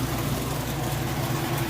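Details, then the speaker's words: Whirlpool top-load washer, final high spin cycle: steady, even low drum hum with no thumping, knocking or bearing growl; healthy, smooth spin. "doing the last little bit of rinse also you can see it's got a nice smooth operation it sounds great not jumping around or knocking around or any weird noises or bearing noises all things you'd listen for and look for"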